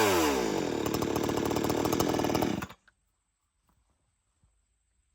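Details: Old-school chainsaw, warm restart with switch turned on: fires and holds a steady, even high buzz under three seconds, then cuts out cleanly; healthy normal running.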